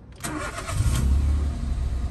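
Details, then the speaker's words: Citroen C1 with front-end damage, not started for a long time: quick crank catches first time and settles into an even, low idle with no misses; brief top-end ticking until oil reached the head; clean start. "but car starts the first time as you see the car wasn't started for so long"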